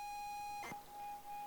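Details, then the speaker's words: 40-year-old ZX Spectrum game cassette being loaded: steady high loading tone keeps dropping out and wavering twice in under two seconds; tape judged bad and fails to load. "So that one's also bust."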